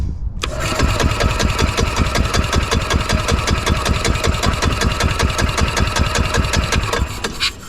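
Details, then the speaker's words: 2003 Club Car DS golf cart, previously seized engine after sitting about 3 years, fresh gas added, primed and choked: lumpy, uneven chuffing at two to three beats a second over a loud rumble; running rough while left to clean out. "got it running I had to put the snor on and choke it just going to sit here and let it run for a little bit try to clean out just a little bit"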